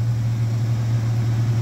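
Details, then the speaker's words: 1989 Mitsubishi Pajero V6 running after its cracked, warped exhaust manifold was replaced with Australian-made stainless steel extractors: deep, smooth steady exhaust drone with no ticking or puffing leak noise; healthy, quieter, sounds way better. "it sounds way better [Music] way better it's quieter"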